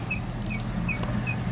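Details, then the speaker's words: 2005 Chevrolet Silverado 1500, chirp from a dead stop up to about 30 mph quickening with speed, heard at rear wheels: short high chirp about every 0.4 seconds over drivetrain hum, seeming to come from mid-truck; suspected dry universal joint, no noticeable play yet. "it sounds like it's coming from the middle of the truck which it's kind of telling me that it's a universal joint"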